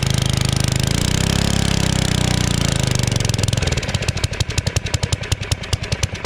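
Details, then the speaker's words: Generac 01292-2 pressure washer small engine, after carb cleaning: it runs steadily a few seconds, then falters into slowing chuffs and stalls; weak running, fuel delivery suspected. "Something's not right. It's not running at full power."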